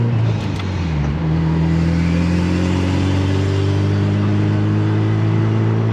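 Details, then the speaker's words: 600hp AWD Honda Civic driven at operating temperature, transmission already checked fine: the engine pulls hard with a steady whine rising with revs, only under load. Cause unclear; owner considers swapping the transfer case. "you hear it so we still have the whining noise only on their load"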